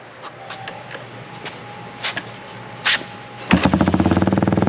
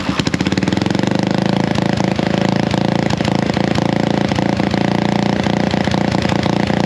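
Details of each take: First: Honda XL175 dual-sport single after exhaust replacement: after some clatter it fires up and settles into a steady, low, even thump; new exhaust sounds deeper but not much quieter, healthy. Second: Honda XL175 dual-sport single idling before the muffler is cut and refitted: a loud, raw, popping idle with a hard, unmuffled bark on each firing. The homemade muffler barely quiets the exhaust.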